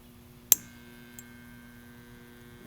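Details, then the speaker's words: Window air conditioner (7800 BTU) powered via inverter in a 1999 Honda Civic: after a sharp pop on restart, steady low electrical hum with no run-up; compressor stalled against pressure and locked, overcurrent protection cuts power. "yeah it's still stalled and it cuts power again come on compressor unlock"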